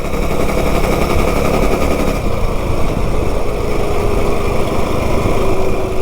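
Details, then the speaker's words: Stage 2 modified 196 engine on a B200 minibike fitted with a $47 generic 30-series driver clutch, being broken in around the neighborhood: rough, rapid rattling chatter pulling away that eases as revs rise, rougher than the Juggernaut driver; clutch chatter on takeoff. "It sure sounds different. It kind of chatters actually."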